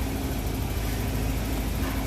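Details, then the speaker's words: Van after repairs, started and idling: steady low rumble with an even beat and no knocks or ticks; engine idles smoothly and sounds healthy. "Oh Motors run smooth sounds good give her just a little bump here"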